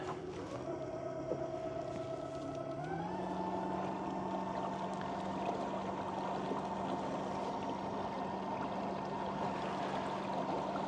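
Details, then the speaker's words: Remigo One 3 hp-equivalent electric outboard at about half speed: smooth steady hum stepping up once then holding, louder than the ePropulsion but not loud; normal running. "running about half speed right now. As you can hear, it is louder than the Propulsion. I hope the microphone's picking that up. But it's not primitively loud."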